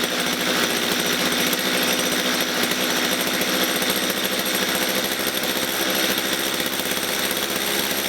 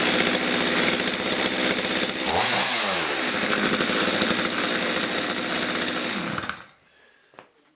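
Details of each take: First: Stihl MS230 chainsaw that bogs at full revs and stalls when set down: rasping two-stroke idle, low and uneven, about three stumbling pulses a second; rough, too-slow idle, owner suspects carburettor fuel mixture setting. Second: Stihl MS230 chainsaw that was boggy, lumpy at full revs and stalled when set down; after adjusting the carburettor fuel mixture it revs crisply and holds clean and even without bogging, then shuts off; normal running.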